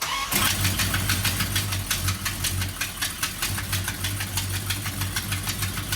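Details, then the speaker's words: 1969 Dodge Charger R/T SE V8, revived for a 1500-mile road trip after sitting 22 years: starts and runs with a loud, sharp ticking about three times a second from a gnarly exhaust manifold leak; transmission worked great. "although we had a pretty gnarly exhaust leak at least we found out the transmission worked great"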